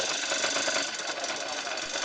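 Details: Suzuki RMX 50 two-stroke with new exhaust pipe and muffler fitted: even, rapid buzzy idle with no knocks or misses, steady level; sound meter shows no difference between old and new pipe; idles normally.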